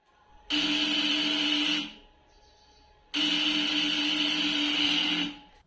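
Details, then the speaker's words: Bajaj Pulsar NS200, about 3.5 years old: self-start gives short high "kirr" whirring bursts that never fire; weak battery, no start, battery replaced. "ಒಂದು, start ಆಗಲ್ಲ ಗಾಡಿ, sound ಕರ್ರ್ ಅಂತ ಬರುತ್ತೆ."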